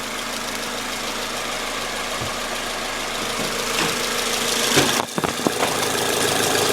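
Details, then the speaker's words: 2006 Toyota Corolla 16-valve petrol engine at idle: light, uneven ticking under a hissy running noise that changes with a throttle blip; owner suspects intake manifold or exhaust, possibly the belt (already replaced), unconfirmed. "I'm getting this weird noise and I don't know where it's coming from"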